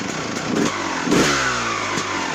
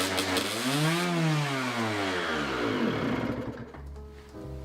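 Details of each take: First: 2001 Honda CR250 two-stroke dirtbike after the high-idle fault was fixed and the bike rebuilt: it revs cleanly through the gears with crisp, even throttle response and now runs perfectly. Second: Honda CR250 two-stroke dirtbike revving very high at idle with no throttle; a broken reed petal is leaking air; high idle.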